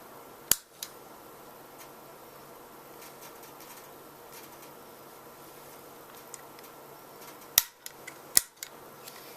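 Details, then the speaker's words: Epiphone Blues Custom amp with a homemade footswitch under test: three sharp relay clicks over steady amp hiss and hum as the channel/reverb switch contacts are shorted and opened; the reverb indicator bulb is not yet seen lighting. Normal relay clicking on channel switching. "hear the relay chattering away but I cannot get I don't see the bulb lighting up on the reverb side yet"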